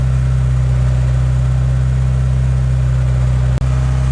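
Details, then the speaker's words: EK Honda Civic with Y7 block and Y8 head swap, cold start: steady, fast, even hum with no hunting, idling too high; owner had adjusted the idle screw, vacuum leaks also suspected, unconfirmed; high idle. "she's definitely idle and high he did say that he messed with the idle screw so i may have to mess with that but again it also may be vacuum lakes and granted it's a cold start but it shouldn't be idling that high"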